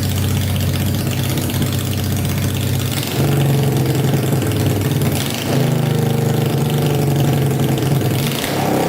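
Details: Tractor swapped with a 500cc Honda engine, first start on fresh gas after a carb clean and wiring fixes, spark on all 4 plugs, no coolant yet: loud, deep, even rumble with steady firing and no misses or knocks; idling smoothly.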